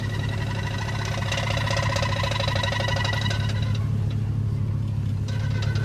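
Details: Chevy Silverado backing up, left rear: a low engine drone with a rhythmic, faintly tonal rubbing noise, about three pulses a second.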